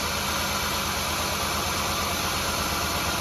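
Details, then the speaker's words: Mazda Tribute with Ford 3.0 V6, misfire code on cylinder 5; after a coil swap the misfire followed the coil: uneven idle with a stumbling low pulse under hiss, one cylinder dropping out from the failed ignition coil. "so this coil is no good"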